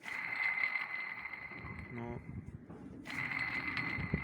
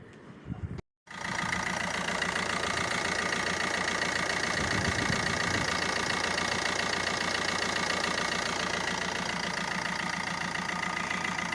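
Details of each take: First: Opel Astra H 1.3 CDTI old water pump, removed after 4 years and spun by hand, gives a steady high-pitched hum from a worn bearing with play; the pump had been leaking, and the noise is not heard with the engine running. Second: Opel Astra H 1.3 diesel idling with its usual light rhythmic clatter after replacing a leaking, humming water pump that had play and lasted 4 years; replacement successful.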